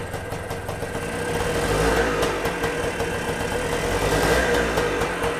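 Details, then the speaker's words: Kawasaki KE175 two-stroke motorcycle out of storage, fresh fuel after draining old gas, carburetor cover off: fires up and keeps running with an uneven, slightly hunting buzz as revs rise and settle. "so you could hear it there i was able to go ahead and get it started"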